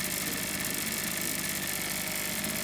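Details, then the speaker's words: Maruyama MB228V brush cutter, about ten years old with a Walbro WYK carburettor, left unused for years; after maintenance and basic mixture-screw setting, the thin buzzy two-stroke now idles steadily with no hunting or stalling. "แบบรอบเดินเบาดูเสถียรดูเหมือนว่าฉันจะทำการบำรุงรักษาได้ดี!เครื่องยนต์สตาร์ทติดสำเร็จแล้ว"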